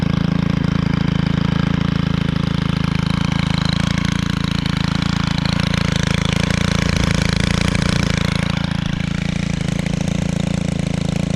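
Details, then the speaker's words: Stihl 4-Mix four-stroke trimmer started for the season: steady even putter with low throaty tone at idle, no misses or rattles; healthy engine. "Just listen to that. Um that idle sounds like a getting current. And then when it's revved, sounds like a ATV."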